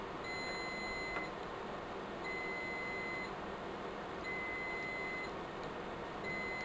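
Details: Riello DVD 2200 2U UPS during a battery pack replacement: short high-pitched beep about every two seconds over a quiet room hum; UPS alarm sounding, likely from failing batteries.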